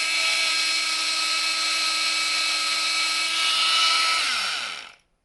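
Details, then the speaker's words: Makita DTM50 cordless multitool, repaired (motor worked on, wiring reassembled), run on new 6 Ah Makita batteries: loud, steady, high buzz at constant pitch winding down smoothly on release, "like a demented bee"; normal running. "They always make a right racket. It sounds like a bloody demented bee."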